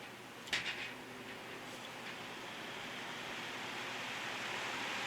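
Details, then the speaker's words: 1960s GE window fan after cleaning and oiling; the motor shaft flat is rounded off but the blade is tight: soft airy whoosh building from low to high speed with no ticking, rubbing or hum; runs quiet and moves plenty of air. "It's quiet. It's moving a lot of air too."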